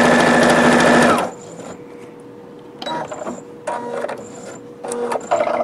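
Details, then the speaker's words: Singer Futura Quintet sewing machine after fitting a new bobbin case and plate cover: quick even stitching about four per second without clatter, then quiet stop; earlier bobbin rattling noise gone, runs normally. "And now it's working fine. No more of that noise which you heard earlier."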